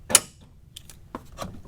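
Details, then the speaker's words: Cadillac Fleetwood Brougham, fuel filler behind the rear license plate: single sharp click as the door lock actuator locks when the car is locked, then faint light rattles; normal fuel door lock actuation. "and it's locked again I did not realize that it actually had a locking mechanism back here that would automatically lock the license plate"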